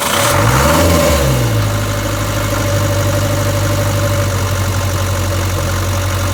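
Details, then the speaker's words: 1962 Land Rover Series 2A 2.25L diesel after setting injection timing and properly adjusting the valves; fires and settles within two seconds into a steady even idle with regular combustion knock, though the truck still has low power: normal idle. "a lot smoother isn't it"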